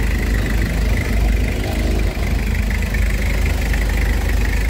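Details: Toyota HiAce 2L diesel after converting to a 120 A Kia Carnival alternator, idling with aircon and headlights on, charging above 14 V: deep, steady rumble, even, no knocking or whine; healthy.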